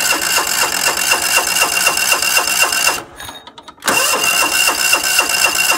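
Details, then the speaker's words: John Deere LX172 lawn tractor cranks steadily but won't start on throttle and choke; the choke plate isn't closing fully, so the choke linkage needs adjusting. "so I'm seeing why it's not starting I got the throttle up in choke but you can see the choke plate down here is not closing all the way"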